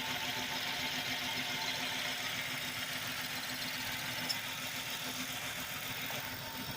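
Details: 2008 Chrysler 300 2.7L V6 daily driver, hood open: an even, steady idle with a light mechanical hiss and no knocks or stumbles. The engine is healthy.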